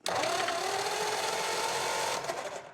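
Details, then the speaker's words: 1935 Ford 5-window coupe, flathead V8 parked about 50 years, cranked in gear with spark plugs out, 6-volt starter: fast, even high starter whir with no compression beats; valves seen stuck open on most cylinders. "Let's see if we got compression. These flatheads always have stuck valves, so let's see how many of them we got."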